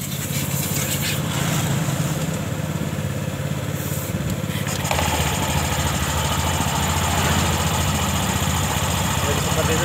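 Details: 2021 Honda Scoopy after replacing the CVT clutch bell and rollers for a rough CVT noise: engine cranks, catches and settles into a steady even idle with no rattle or slipping noise; normal idle.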